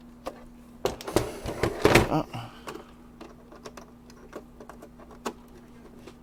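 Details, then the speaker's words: Apple II 5¼-inch floppy drive at power-up: uneven bursts of sharp clacks and rattling over a faint low hum, harsh mechanical clatter from the drive, cause unclear. "ooh o that sounds horrible oh God I don't even know if I want to put a disc in there"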